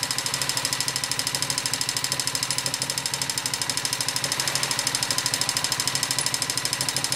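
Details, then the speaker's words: Honda XLV 750 motorcycle engine, noise at the front cylinder: sharp, regular tick about three per second over the idle, keeping time with the engine; mechanical knock, source undetermined. "Bon, comme promis, voici une petite vidéo sur le bruit de mon moteur."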